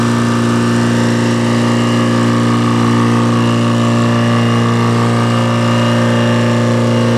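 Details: Detroit diesel engine, sat three days in rain, fuel tank fitted and air bled before start: steady, even idle warming up with no misses or knocks, oil pressure up, charging slightly, no smoke, belts loose; normal diesel idle.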